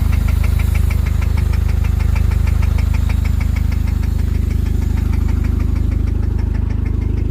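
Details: 1999 Honda Civic at idle: steady hard deep metallic knock about two per second through the idle; rod knock.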